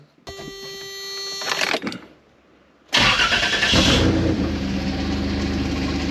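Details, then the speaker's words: 3.4L Toyota V6 (Tacoma engine) with a York AC compressor converted to an air compressor, mounted below the power steering pump, on first startup: the engine runs with a harsh rough rattle and growl. Bad compressor bearing, and a bent pulley. "All right, that first startup was a disaster. Uh, that compressor was making noise. Turns out the bearing was bad."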